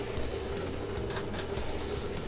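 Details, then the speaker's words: 2011 Isuzu NQR with a DEF failure; the DEF supply pump is activated through a TEXA scan tool with the line open: a steady, even mid-pitched hum with good flow. Normal DEF pump operation. "I can hear the pump running yeah we're getting flow"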